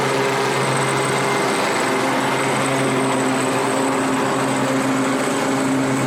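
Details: 7-year-old Craftsman 28-inch walk-behind mower after cable repair, starts right up; steady high-revving drone with a thin, constant whistle squeak on top, maybe belt or rattle, source not yet found.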